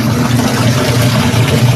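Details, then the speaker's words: Washing machine after gear case (gearbox) replacement and pulsator refitted, fixing a noisy spin and leak: steady, even, deep hum through the spin with no grinding or knocking; noise and leak gone, normal spin. "Ayan. Ganda ng kanyang tunog. Wala na yung ingay, saka yung leak, okay na rin."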